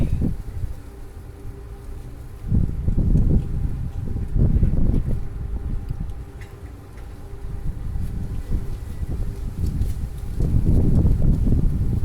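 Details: 2002 Toyota Sequoia crank no start on a weak battery with no codes; erratic, uneven cranking cadence, catches briefly then dies. Suspected engine damage and cylinder wash, with fuel smell in the oil; unconfirmed.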